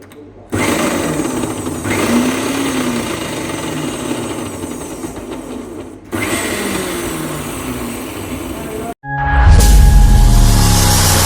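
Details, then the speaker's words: Meat grinder before repair, motor running: loud coarse gear chatter over motor hum, stopping and restarting; heavy noise and won't take load because the gearbox gears are slipping. "ഇതിൻ്റെ complaint പറയുന്നത് നിങ്ങൾ സ്റ്റാർട്ടിങ്ങുള്ള വീഡിയോയിൽ കണ്ടില്ലേ, ഭയങ്കര നോയ്സാണ്, പിന്നെ load എടുക്കുന്നില്ല, അതായത് gears slip ആവുകയാണ്, അതിൻ്റെ സൗണ്ടാണ് കേൾക്കുന്നത്."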